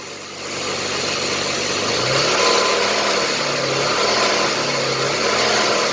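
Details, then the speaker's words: Jeep Liberty with 201,905 miles, possibly running a bit smoother after a wiring repair: engine picks up smoothly in a few gentle blips and settles back, no knocks or misses; tired, somewhat worn motor, but runs well. "I don't want to rev this old motor too much because, you know, it's a little wore out, but it's not a bad runner though."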